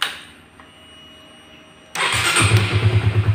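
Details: Honda CB150R fuel-injected with starter not working in neutral, after cleaning oil deposits from the neutral switch: starter spins and engine catches straight away into a steady low idle; problem was only the neutral switch.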